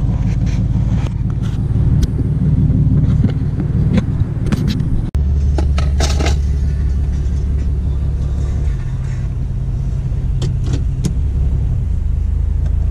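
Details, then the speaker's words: Infiniti G37 V6 exhaust note after new valve cover gaskets and spark plugs, existing exhaust leak untouched: deep, smooth rumble with light blips, even firing, no stumble or misfire; engine healthy. "I guess I can start it since you guys didn't hear it start I wasn't recording an exhaust note"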